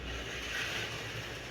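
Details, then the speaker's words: Scalextric slot car: loud, steady high-pitched buzzing hiss with unchanging pitch, yet it runs very slowly; owner suspects pinion not meshing or binding, noting the motor sits sunk down into the car. "This sounds loud as hell, which probably means it's fast as hell. Or it's got some kind of pinion, it's not meshing correctly. Could be binding."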